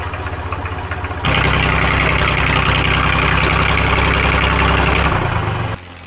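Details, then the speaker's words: 1990 JCB 2CX backhoe diesel, abandoned and revived, coolant leak patched: starts at once and settles into a steady, even chug of about four beats a second, then shuts off cleanly. Worked an hour with no air drawn in or breakdown; healthy start and idle. "Worked it for at least an hour and we had no problems. It wasn't drawing any air in. It wasn't breaking down. It's a success."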